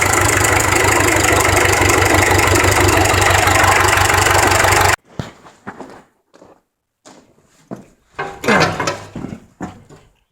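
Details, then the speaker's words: John Deere JD 400 tractor, about 1969-70, sat in a field for years, first start after cleaning out sludge. Steady, even idle with a regular beat about four pulses a second, no knocks or misses; idle sounds real good, engine healthy. "idle sounds real good in there it really does the engine the engine sounds"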